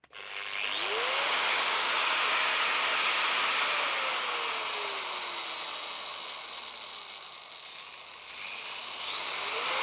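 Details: AEG WS 13-125 XE angle grinder after repair (brushes serviced, gearbox greased) for heavy sparking and jerking: spins up to a smooth high whir at no load, coasts down, repeats; healthy and even.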